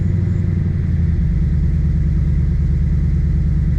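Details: Supercharged Lexus ISF at first start after a custom front cross-brace, extended MAF wiring, X-pipe and wideband install: low, lumpy rough idle with a horrible knocking of about two beats a second from the supercharger; owner wonders if the used supercharger is blown.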